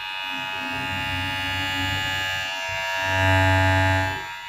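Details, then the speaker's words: Newly bought Taff ware animal hair clipper (a P6 model is mentioned), used on a moustache and beard: steady high, clean buzzing hum with a slight swell. It sounds very smooth compared with the rougher-sounding clipper it is contrasted with. "Bedakan sama yang ini. Lebih kasar. Kalau ini sangat halus ya, lebih halus ya."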